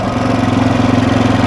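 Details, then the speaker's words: Freshly rebuilt 1979 Honda XR500 single-cylinder at idle after desert riding: steady thumping with a light, even ticking on top. The top end has grown noisier, and the owner wants to adjust the valves and check oil pumping. "That top end sounds super noisy. It's getting later in the day. I feel like I want to adjust the valves. I think the top end's gotten a little noisier since I've been out here."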